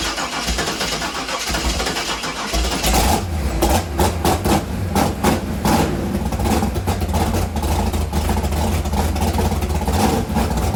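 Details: Chevy Nova V8 after the distributor was set at TDC on cylinder 1, with coolant and oil added and before timing-light adjustment: a brief crank, then it catches and settles into a steady, even, smooth low idle. Starts and runs fine.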